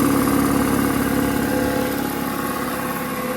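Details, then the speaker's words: DeWalt DXCM303 30-gallon twin-cylinder air compressor (6.2 CFM at 90 PSI) running normally while filling its tank: even, fast pumping chug about 2.5 beats per second with steady mid hum; not very loud, takes a while to air up. "it ain't that loud actually that's surprise the one thing about bigger air compressors though is they take a lot longer to air up"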